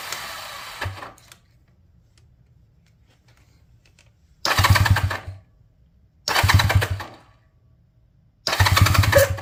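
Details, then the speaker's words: 1978 Honda Twinstar CM185T revival after cleaning points for a weak spark and priming, choke on; three short cranking bursts with pauses, never catches; cranks but won't start, no fuel getting to it. "No getting any fuel to it. We got the choke on."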